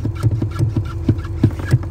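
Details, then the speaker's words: 2006 Ford F250 XLT 6.0 diesel in derate/limp mode with wrench light: steady lumpy idle with no rise in revs at any pedal position; MAP sensor shorted, pulling down the 5 V sensor reference, 12 codes stored. "here's the problem when i press on the accelerator nothing all the way to the floor halfway a quarter and absolutely no change"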